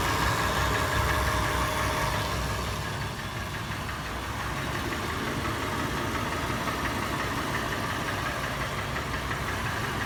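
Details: Toyota FJ at idle about six minutes after warm start: clatter has turned into steady, louder, sharper metallic tapping about three beats a second over a rough idle; top-end knocking, cause unconfirmed.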